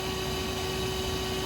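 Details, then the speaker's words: Truck trailer lift axle airline broken by highway debris: constant airy hiss over low steady drone; air brake line leak. "you guys hear it that ain't good it sounded like something leaking any driver no that noise ain't good"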